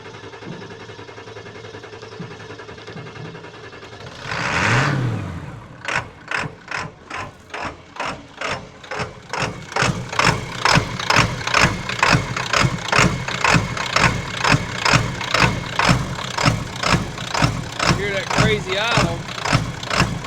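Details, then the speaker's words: 1996 Ford F350 7.3 Powerstroke diesel V8, about 230,000 miles, sat for years, hard cold starts the owner suspects are glow plugs: heavy uneven lope pulsing about twice a second right after start, levels out after 30-45 seconds at 800-1000 rpm. "hi guys but my [ __ ] me power stroke and it's got a really crazy Otto when you first crank it it looks really really hard up and down"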